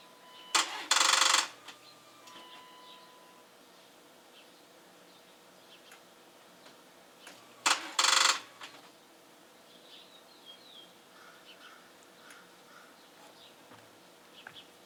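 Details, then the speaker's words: Dodge Durango that had not been started in a couple of years, after a couple of minutes of charging: two short bursts of rapid dry starter clicking with no cranking and no catch; battery still not charged enough. "charged up enough we'll wait some more"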